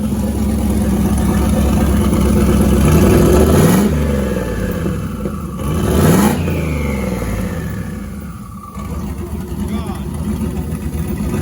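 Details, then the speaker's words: Dodge Grand Caravan with turbocharged 5.3 LS V8, first fire, possibly slightly lean in spots; strong revs rise and fall cleanly, then a loud turbo whistle sweeps down as the throttle closes, a healthy turbo. "Listen to that thing. That turbo absolutely howls."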